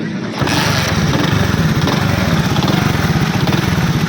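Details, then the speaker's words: Motorcycle after tightening a loose magneto: starts and settles into a smooth, even beat with no knocking under the exhaust note; earlier noise gone, engine sounds healthy. "आप आवाज़ नोट करें, जो पहले आ रही थी आवाज़ वो वाली आ रही नहीं आ रही।"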